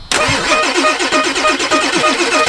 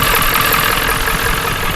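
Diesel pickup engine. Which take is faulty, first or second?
first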